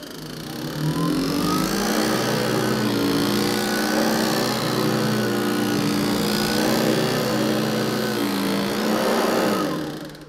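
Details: Hoover ONEPWR HEPA+ cordless upright vacuum (BH55500PC): steady motor whine with fast uneven clatter about three hits a second, brush roll bristles slapping the metal bars; known issue fixable with basic tools.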